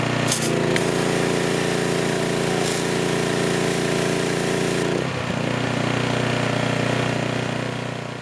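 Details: Troy-Bilt pressure washer after replacing bottom assembly whose water line cracked from frozen water over winter: steady even engine drone with one brief dip in pitch partway through, then settles and runs smoothly; normal running.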